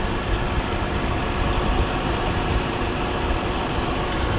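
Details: 2009 Nissan Murano at idle after repair of a major power steering leak (steering hose and washer replaced, system bled, no leaks): steady smooth even hum, no whine or groan from the steering pump; running normally.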